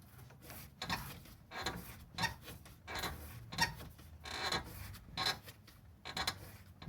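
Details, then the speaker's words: Car with noise from the passenger side when braking and stopping, shocks reportedly already replaced: dry rhythmic creaks about every 0.75 s as the wheel is rocked by hand; lower ball joint and control arm bushing worn out, metal on metal. "bien pero no sirve ya la rótula de abajo y ahí voy y no sirve este mujer de aquí"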